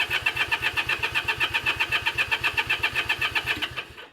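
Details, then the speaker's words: Honda CA78 305 Dream, unridden since 2010, after the carb was soaked in cleaner, throttle still seized, jets suspected: even starter chug about four pulses a second, never fires. No fuel is getting in, cause suspected, not confirmed. "nothing we're not getting any fuel we're not getting any in"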